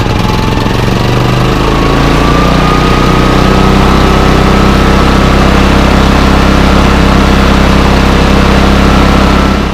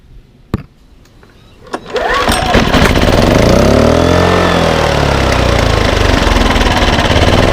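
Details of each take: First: Bailey 3700 W portable generator unused over a year, with a gummed carburetor, running on fresh stabilized gas: speed hunts and wavers with a rough, uneven beat. It surges in eco mode and is rough with eco off. Owner suspects weak spark from the old plug or bad gas. Engine surging. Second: Baliy 3700W portable generator, unused for over a year, after a carburetor cleaning, a new spark plug and rotating the econo servo back: a couple of pulls, then it starts in econo mode and runs steady with no misses or surging.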